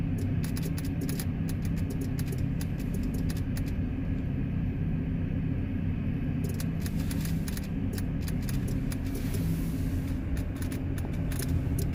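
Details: 2010 GMC Terrain: fast, steady clicking, about three or four a second, from the key switch and relay while everything else works. The clicking stops when the auto lights are turned off.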